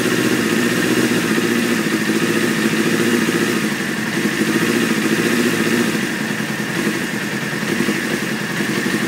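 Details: 1995 F3 with idle set at 2200 rpm, which takes 10 seconds of cranking and gives white smoke before starting: high, uneven, lumpy idle with irregular stumbles; rough running, cause unknown.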